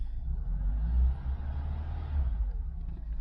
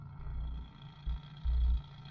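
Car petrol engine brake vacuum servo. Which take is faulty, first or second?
second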